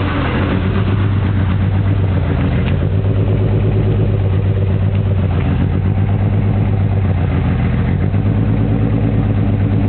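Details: M3 engine idling unevenly with a stumbling, lumpy low beat and a couple of throttle blips; the engine is misfiring on a cylinder.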